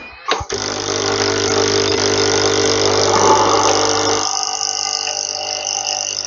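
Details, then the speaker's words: Nescafe Dolce Gusto coffee maker after fixing its stuck pump (no water before), still leaking, seal to check: start-up click then steady buzzing pump drone easing off after four seconds; delivering water normally. "Ok so now we know what was the the problem with this machine is the pump in there."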